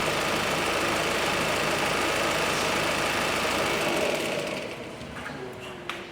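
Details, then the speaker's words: Ford Mondeo Mk5 2.0L diesel, injectors removed and refitted and still working: even, steady idle clatter with no chain rattle, a quick rev, then a clean shut-off; running as it should, normal idle. "But that sounds sweet now. In actual fact, I'll give that a quick rev. Yeah, that is now running as it should be. Nice."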